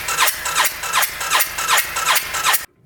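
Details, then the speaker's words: 2013 Arctic Cat Wildcat 1000cc UTV with good spark, compression and injector: even cranking, about 160 beats a minute, never catches; cam lobes point up at top dead center, timing 180 degrees out. "the cam is timed correctly except the lobes are pointing up so that means we're 18 180 out"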